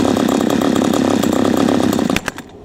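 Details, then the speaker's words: P1PE P6220C chainsaw with idle speed screw backed out about half a turn: uneven lumpy idle slowing and faltering until it stalls after a few seconds; idle speed set too low. "that should shut slow the tick over down and you'll find you started up and you put your chainsaw down while you're moving these would something like that and it stalls out"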